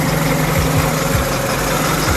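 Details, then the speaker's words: 1967 International Scout 800 pickup with electronic ignition and Weber 32/36 carb, choke in, not in gear: steady, even smooth idle with no knocks, misses or rattles before a little throttle; runs cleanly. "So here she is running. I'll go ahead and grab the throttle here and give it a little bit of gas."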